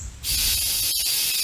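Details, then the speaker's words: Tire on a 1998 Lincoln Continental that would not hold air: loud steady hiss of air escaping around the bead when pushed on or inflated, though the tire is not visibly off the bead. "well you can push on it you hear air coming out around the bead"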